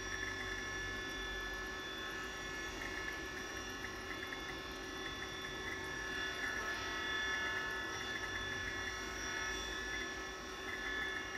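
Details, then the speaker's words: 1987 Apple Macintosh II hard drive at startup: steady high whir with several constant tones over a low hum, bearings clearly audible; drive may be on its last legs but still works. "for you can hear the bearings quite clearly there this drive might be on its last legs but it seems to work fine so"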